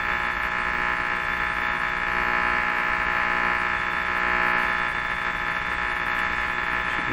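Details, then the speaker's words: Hallicrafters S-38 four-band tube radio on AM band performance check; steady hum with fine hiss and faint throb while tuning, no station comes through: receiving noise but no stations. "so it sounds like the radio's picking up a lot of stuff but it's not picking up any stations"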